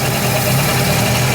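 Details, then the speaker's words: FC3S Mazda RX7 Turbo II rotary, first runs after sitting almost 10 years and a fuel system rework, idling with a faint constant whine over the hum; suspected vacuum/smog pump needing lubrication, bad bearing, or alternator. "Kind of sounds a little iffy. It sounds like either that might have a bad bearing or the alternator may"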